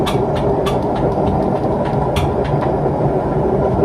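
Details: Washing machine spinning at around 1000 rpm, rising toward 1200: a heavy, steady roar with sharp clacks every few tenths of a second; owner suspects worn drum bearings needing replacement.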